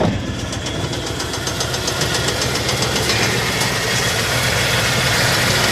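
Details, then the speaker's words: 1994 Dodge Ram half-ton pickup, bought as a non-runner, smoking and misfiring: sharp, fairly regular ticking knock, roughly 220 a minute, over a rough idle; unclear whether it is an engine knock or something loose clapping. "can't tell if it's got a knock or if it's just something clapping"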